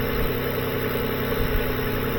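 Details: 2007 Lexus ES 350 idling with the electrical load on during a voltage drop test (B+ 0.1 V, negative body under 0.1 V): a steady, smooth low hum with no knocks, misses or surges. Normal idle; no charging fault.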